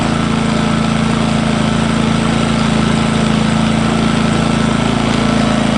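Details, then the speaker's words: New Engel 2500W inverter generator, first run, camping fridge being plugged in as light load: steady, even hum at constant pitch, no misses or hunting; running smoothly. "so I'm going to plug him in should hear this rev up a little"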